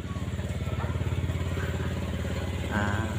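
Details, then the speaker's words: Honda Megapro motorcycle dies or sputters when throttled, hitting a rev limit: uneven pulsing about three beats a second that won't pick up cleanly. The cause is a broken yellow wire to the voltage regulator; a jumper wire fixed it. "Apakah benar bagian ini bagian kabel yang kabel yang menuju ke kiprok yang warna kuning ini putus penyebabnya nggak bisa normal untuk motornya itu ada limit beberapa brebet ya"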